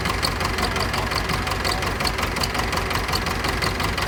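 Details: Pettibone B-66 diesel lift machine submerged under 8 feet of water in a hurricane; fuel, injectors, hydraulic oil changed; hard starting, uneven clattering idle about three pulses a second; hydraulics shaky from air, cause unconfirmed.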